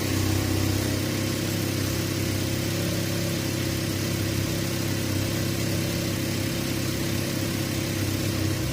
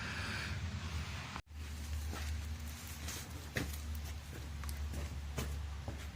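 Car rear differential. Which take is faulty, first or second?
second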